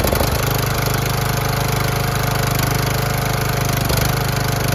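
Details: Cheap used riding lawnmower after re-bolting a part without a gasket: steady, even single-cylinder thrum with no misses or knocks, much quieter than before, though still blowing some oil. Normal running.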